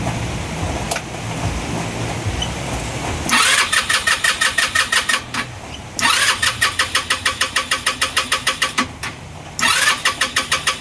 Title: Engine stalling, hard start, no idle....